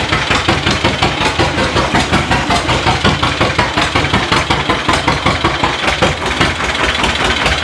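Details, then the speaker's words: 1936 John Deere A two-cylinder, mostly new engine, first run in decades after timing fixes, hand cranked, warming up: slow steady pop about 160 beats a minute, even with no knocks or misses; runs healthy. "Pull it. It runs. Sounds good."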